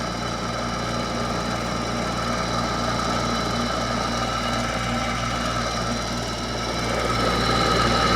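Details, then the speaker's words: Hampton Bay by LG 8,000 BTU window air conditioner, a few years old: loud steady hum with rough knocking vibration about 220 per minute; motor sounds worse than the other unit, suspected worn fan motor. "here goes the same model Hampton Bay 8,000 BTU here it goes the damn motor sounds worse this one"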